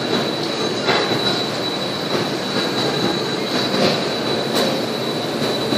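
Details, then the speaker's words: Steady high-pitched metallic squeal over harsh scraping: brake pads worn to metal after a month and a half of driving on grinding rotors. Customer had just noticed the brake noise. "Drive for a month and a half on fucking grinding rotors."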